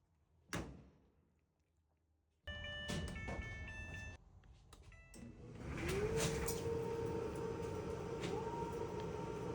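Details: Whirlpool/Maytag dryer brought in not starting, with a broken belt and no heat; cleaned and run on a 120 V jumper lead without 240 V: handling clunks, then the motor hums up to speed into a steady, even drum rumble, no squeal or thumping. Normal operation.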